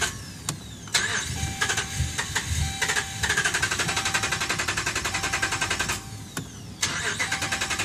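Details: 2011 Dodge Ram, about 75K miles: several starter cranking bursts with short pauses, engine never catching; crank no start, dealer found defective TIPM (Totally Integrated Power Module), replaced under warranty.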